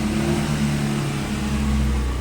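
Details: Renault Kwid petrol engine after misfire codes cleared, only an alternator code remaining from a broken connector: smooth even hum under light throttle blip, no stumbling or misses; normal free revving.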